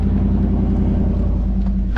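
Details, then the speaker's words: Ford F-150 just after a cold start, pulling away: loud, deep, open rumble with a steady drone beneath. The muffler and tailpipe slid off, so exhaust likely dumps under the cab. "Not gonna lie, it's a little loud, but that's probably because it's dumping underneath the cab."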